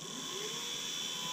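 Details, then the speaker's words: Precision Matthews PM25-MV bench mill, new out of the box, powered up with guard and limit switch closed after unlocking the e-stop: smooth, constant high whir with a clean steady tone and no roughness or ticking; spindle bearings sound good. "it's alive. Bearings sound good in the spindle."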